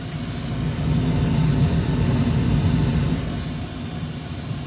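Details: Old ICP gas furnace in a rental house, running on heat with a failed fan timer board temporarily bypassed by jumpered spade connectors; deep, steady roar with an even low rumble and no knocks or squeals, heating normally.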